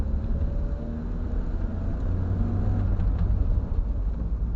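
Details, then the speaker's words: 1980 Triumph TR7 driving on the road after replacing the original diaphragm fuel pump for idling issues and lost power above 4,000 rpm; steady, even low engine rumble under road noise, no knocks or misses: normal running engine. "Just sounds like a typical seven."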